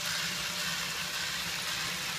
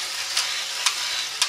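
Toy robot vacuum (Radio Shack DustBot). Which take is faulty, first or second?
second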